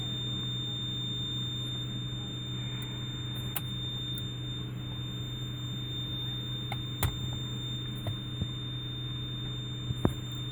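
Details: 1999 Lexus GS300, 257,000 miles, engine idling, no brake assist with brake warning lights: steady high-pitched continuous warning beep over low idle, indicating low ABS accumulator pressure; ABS modulator assembly replaced as fix.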